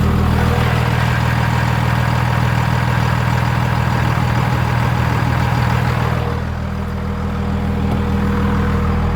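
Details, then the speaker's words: Dodge Cummins diesel pickup, first start after starter replacement; steady even idle, deep low rumble, smooth regular firing, no knocks or misses; normal idle, though owner suspects injection pump for a lingering starting issue. "Everything sounds good."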